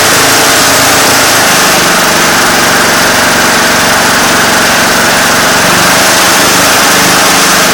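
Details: Craftsman GT6000 diesel garden tractor, warm weather, after fixing a slow-idle problem that turned out not to be the throttle cable; loud, steady diesel clatter at a high even idle with no surging. Normal idle.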